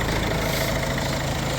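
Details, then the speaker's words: Peugeot 3008 at 62,000, after a no-start following battery change, fixed by removing and refitting the battery fuse, faults cleared: steady, low, even idle with no stumbling or surging; normal. "Alright, so I'm just clearing all the faults. Car's back to normal."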